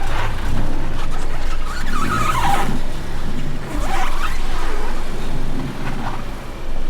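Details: Car driving after wheel clicking fix (wheel and brake disc faces cleaned with brake cleaner, wheel refitted with nuts tightened in star pattern): steady road rumble at speed, no rhythmic ticking from the wheel; loud clicking fully gone.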